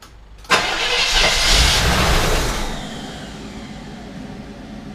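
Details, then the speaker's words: 1978 El Camino that died and wouldn't restart, after battery install, with electric fuel pump running: catches sharply on starting fluid, runs rough about two seconds, then dies; starving for fuel, fuel delivery fault (later dry-rotted fuel line found). "sounds like it's going to run to start right let's try that again it started on the start of hood let us not start none yeah it's starting on starting fluid"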